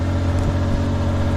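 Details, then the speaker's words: Mitsubishi Kei mini truck, unknown year, sat since about 2021 with old crumbling air-filter foam, started on starting fluid and now running on its own on choke: small engine ticking over smoothly and evenly, no knocks or misses, healthy idle. "It's running too good. Sounds fantastic."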